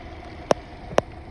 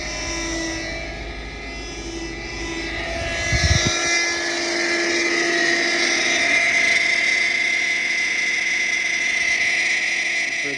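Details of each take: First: 2006 Subaru Forester XT turbo, after fixing power steering whine and fluid leak by fitting a new O-ring under the return-line bolt at the pump reservoir: quiet, even idle with no pump whine, broken by two sharp clicks. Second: 2006 Subaru Forester XT turbo: loud steady high-pitched power steering pump whine over the running engine, pump drawing in air; likely cause is a failed O-ring on the reservoir return line (part 34439FG000), worth replacing before the pump.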